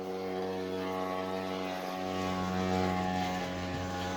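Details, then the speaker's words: Electrolux washer: steady fixed-pitch hum continues after pause and cancel; machine shows off but keeps running. "Now we got it off. It's completely off and it's still going."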